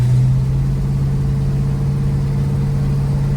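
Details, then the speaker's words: 1968 Ford Mustang with a modified 302 cubic inch small-block V8 and a mild cam, accelerating up the block: deep, steady V8 drone under load with an even exhaust note. No missing, pops or misfires; healthy engine. "you can hear there there's no missing no pops or misfires or any stuff like that"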